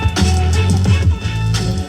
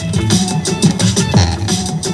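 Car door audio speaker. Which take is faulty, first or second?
second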